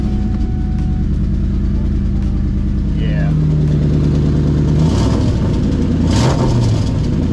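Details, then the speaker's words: Mustang GT V8 with new cat-back exhaust, after hitting a cinder block at 70 mph: loud, raspy idle with rough uneven puffing and a rev blip from a horrible exhaust leak; check engine light on. "it seemed fine all day uh we i drove it later on that day just to make sure everything was okay and then it developed a horrible exhaust leak and the freaking check engine light came on"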